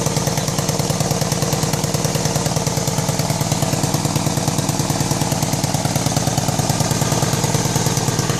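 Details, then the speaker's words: 1999 BMW K1200RS idling; sharp, even puttering pops about three per second from left front of engine; exhaust leak at manifold, #4 exhaust tube loose at port. "we're getting a uh some kind of a popping noise or a puttering noise coming out of the left front of the engine so either i blew a spark plug which i which i kind of doubt or something has either cracked or worked its way loose on the exhaust uh exhaust manifold probably"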